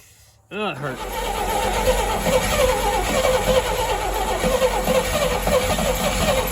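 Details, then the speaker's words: 1959 Rambler, 195 flathead inline six with automatic, parked for years, first start after purchase, low on transmission fluid: cranks briefly, catches at once, settles into a steady even idle without misfires or knocking; normal idle. "wow look at that i can't believe it sounds good it it bought me all that time and it's just gonna crank up and sit here and idle that is crazy"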